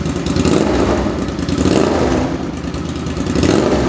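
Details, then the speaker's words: 2005 Suzuki V-Strom 650 twin, freshly swapped very low-mileage replacement engine (old one had rod knock), running without muffler: loud raw open-pipe bark rising and falling with each blip, even steady firing; healthy engine revving. "This thing sounds great. Obviously I'm gonna put the muffler on it. It still sounds really good, but"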